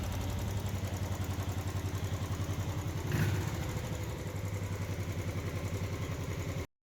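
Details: Single-cylinder motorcycle idling after work on a crankshaft sound complaint. Steady deep thump about three to four per second, no knock or rattle, smooth until switched off.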